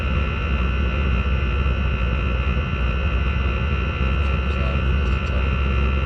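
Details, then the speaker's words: Chinese diesel heater in a Talbot Express motorhome: steady loud deep jet-like roar with a constant hum, no pitch change; the noise comes from the heater exhaust rather than the heater body. "that's true well the actual nose is coming from the exhaust not from heater"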